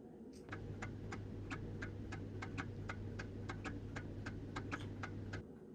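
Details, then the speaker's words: Theraposture Rotoflex rotating bed during a hand control reset, with both rotation buttons held for 3–5 seconds. Even, rapid clicks about three a second sound over a steady low motor hum. This is normal controller relay clicking. "Hold and press the two rotational buttons, the one that gets you into bed and the one that gets you out of bed, at the same time for 3 to 5 seconds. You should hear some clicking."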